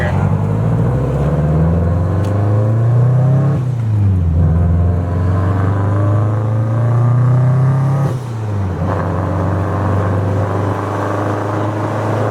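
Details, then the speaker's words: Subaru STI on test drive before the Kartboy rear subframe lockdown bolts are fitted: revs climb through the gears with a dull clunk at each shift, the rear differential bouncing in its subframe. "earlier in this video you saw him do a pull, and you probably hear the diff in there, so you can definitely compare the two."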